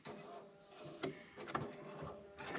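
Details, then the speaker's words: Bobcat T250 skid steer with no lift and no tilt: after repeated calibration both the lift and tilt actuators stroke normally, with short electric whirring bursts about a second apart, each ending in a click, no grinding. "so I've got the lift actuator functioning, the tilt actuator's functioning, and I've done the calibration several times."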